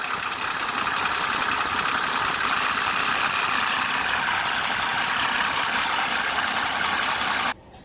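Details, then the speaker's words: 1992 Mercedes-Benz W140 3.4 turbo diesel idling: busy tinny rattle over the diesel clatter, sounding like a timing chain; owner attributes it to a worn timing chain tensioner damper, not confirmed. "it sounds exactly like a timing chain but that will give you a pulse while you will figure the time you chain but it's not especially this pensioner right here that goes bad"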